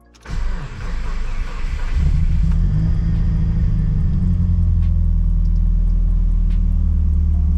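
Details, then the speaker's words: Subaru Impreza after new fuel pump assembly replacement for bad misfire and stumbling, idling a couple of minutes: steady even low idle with slight unevenness and occasional hiccups, possibly air in the fuel system; normal idle. "it's been idling for a couple minutes it sounds like it's okay there's been a couple of little hiccups and it might just be air in the fuel sy"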